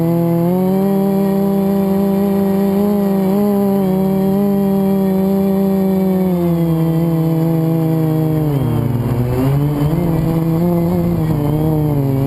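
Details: FPV quad flown with a bad motor bearing, before it was oiled and replaced with a spare; motors whine up and down with throttle, tone wavering and rough; quad twisted on full throttle; worn motor bearing.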